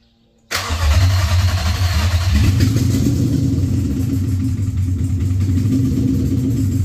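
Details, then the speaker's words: Infiniti M45 with a replacement VK45DE V8 (about 60k miles), first start after install with fresh fluids: it catches after a short crank into a loud, deep, raw unmuffled rumble. Open headers, no exhaust pipe fitted yet. Loud exhaust from open headers. "so when I turned it on it was really loud because it was just like the open headers"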